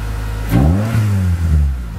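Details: 1993 Honda Prelude after main relay repair, previously no-start when hot: fuel pump heard priming, then a short crank and the engine catches at once and revs up cleanly and evenly; normal healthy start.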